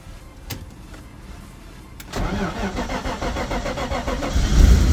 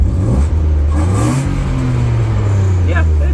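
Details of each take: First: Cold early-morning start of a BMW E36 in snow, which has a massive misfire and low power: the engine catches and runs unevenly and lumpy, wavering as revs climb, somewhat knocking; a rough cold start, owner suspects cold oil. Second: BMW E36 six-cylinder after a tune-up for no power and heavy misfire, spark plugs gapped 0.025 and new air filter: pulls cleanly through a short rev and settles smooth and even; no misfire, good idle, no check engine light.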